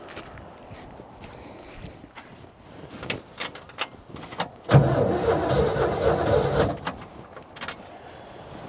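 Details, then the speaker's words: 1950 Jeep CJ3A with Buick V6, cranking after spark plugs cleaned and refitted following rain water in air cleaner/cylinders: even, steady starter cranking, turns over freely, no knocks or rattles; normal cranking. "Engine cranks over, spark plugs are in there. Nothing sounds like it's rattling or broken."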